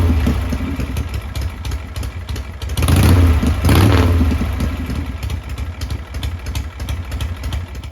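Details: 1979 Harley-Davidson Shovelhead after replacing a bad starter clutch/Bendix that intermittently slipped: lumpy, loping V-twin idle with one clean rev, no clatter or slipping whirr; healthy running.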